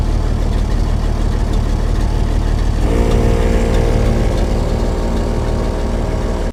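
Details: Sixty-year-old International 6x6 army dump truck with a Perkins 6354 diesel, started after sitting about 10 years: steady, deep, even idle beat, with a small 12V pump whining alongside from midway; the engine runs smooth.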